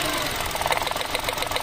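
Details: Mitsubishi Mirage with engine vibration, idling during coil-by-coil testing: uneven, lumpy idle with a loose irregular beat and shake; misfire.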